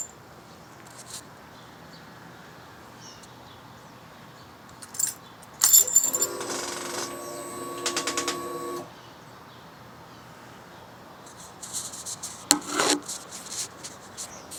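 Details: 2011 Suzuki GSX-R 600 with aftermarket exhaust, at key-on: brief whirring buzz then rapid light clicks from under fuel tank area, with FI light; exhaust servo blocking, diagnosed by a motorcycle shop.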